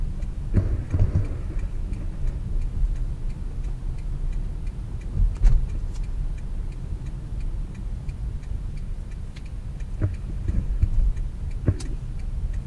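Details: Toyota Corolla on a road test after being put back on the ground following brake work, driven to check for noise. Low road rumble with a few soft thumps over holes and no clunks or knocks; suspension sounds tight and quiet.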